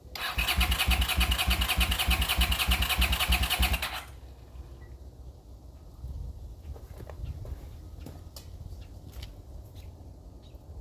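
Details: 40-year-old Honda GL500 motorcycle on first start after rebuild, fed from a temporary gas bottle: the starter turns it over at a steady rhythm for about four seconds and nothing catches. It fires on starting fluid, so fuel isn't getting through.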